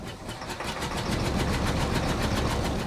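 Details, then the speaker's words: 1968 Chevy Caprice V8, sitting 18 years, auction revival: lumpy uneven chuffing at ~3-4 beats/s, stumbling under load, still missing but less; owner says it pops lean as it runs out of gas, needs heat cycles to seat rings. "still missing though oh not as much that's lean when uh start to run out of gas you go a little bit lean and you pop there a little bit"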